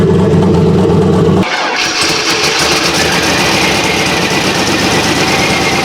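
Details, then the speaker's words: Silverado single cab back on road after work: starts and settles into fast idle with raspy puffing hiss, exhaust leak at crossover where pipes slide over each other; clamp planned, much quieter than before. "Dave did point out we have underneath where the crossover is, it's just kind of like it slides over itself. So probably gonna put some sort of clamp down there, because you can hear the exhaust"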